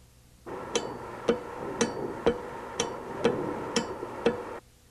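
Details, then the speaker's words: Diesel VE injection pump on a test bench: the electrical fuel shutoff solenoid, fed 12V DC, gives sharp, crisp clicks about twice a second as power is switched on and off, pulling in and releasing cleanly to admit fuel. "After you've made the electrical connection, be sure the solenoid operates to admit fuel. When you turn the power on and off, it'll sound like"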